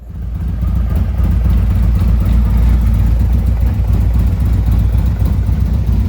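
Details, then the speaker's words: 2017 Harley-Davidson Ultra Limited 107 with new Thundermax EFI on initial idle tune, 114 map adapting: deep, even V-twin lope that smooths as engine temperature rises, like an electronic choke; normal warm-up idle, no knocks or misses. "You'll notice as the temperature goes up, it starts acting a little bit better. hear the tone of the engine changing as it warms up. It's just like having the choke pulled on a carburetor."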